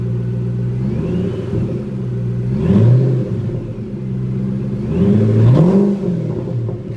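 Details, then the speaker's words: Whipple-supercharged Ford GT, about 750 hp, 10,000 miles, in neutral, throttle blips; thin whine climbing and falling with each blip over a deep engine rumble: normal, healthy supercharger whine. "sounds great. Listen to that whine."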